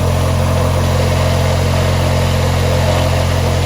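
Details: 1989–92 Ford YT18H garden tractor twin, rewired, new electric fuel pump, fuel lines and filter fitted, blades off: steady, even low drone, constant pitch, no knocks or stumbles; running normally.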